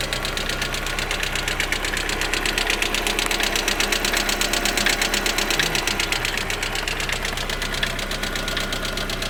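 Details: Lada Priora engine at idle: sharp light ticking about three per second, loudest up high; noisy hydraulic lifters.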